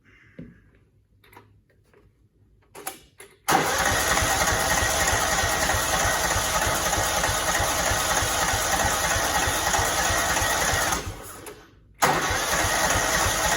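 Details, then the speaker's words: Cub Cadet 2166, 16hp Kohler Command single-cylinder, fuel pump not working, low tank, primed by hand: cranks, catches, runs a few seconds, cuts out briefly and refires, like fuel starvation (suspected). Sputtering start. "I don't know, that fuel's still not going in. I'll put more in the tank."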